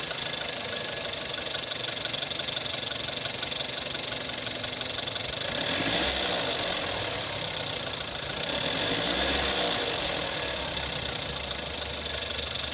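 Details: VW Jetta 6 1.4 TSI CAXA cold start, 125,000 km (noise since 60,000 km), worse after 3+ days parked: fast metallic rattle about four a second, swelling with revs, gone when warm; timing chain suspected but tested not stretched at 100,000 km.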